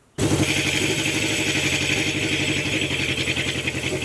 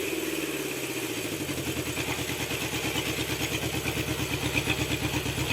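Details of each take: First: Honda CB750 four-cylinder idling during carb synchronization with mercury vacuum sticks, number one cylinder's idle being closed off: fast, busy idle with an uneven popping beat over the exhaust, and the points have not been replaced yet. Misfire popping at idle. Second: Honda CB750 four-cylinder after carb synchronization, after cylinder 3 read low, with the points still to be fitted: even, steady pulse near three beats a second with no hunting or misfire. Normal running.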